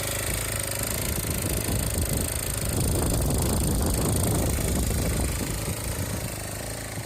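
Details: Aprilia SR50 two-stroke on a test frame, where the flywheel had been loose and the fuel pump wiring bad. It runs steadily with a rapid, even, buzzy beat, swelling slightly mid-clip then easing. No knocks or rattles; running fine.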